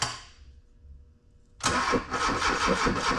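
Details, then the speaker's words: Honda K24-swapped sandrail, on a new engine harness and ECU: a quiet stretch, then a labored, uneven starter churn at about two and a half turns per second that never catches; slow cranking from a nearly dead battery, jumper assistance followed. "battery's pretty near dead. Let's get us a little assistance here."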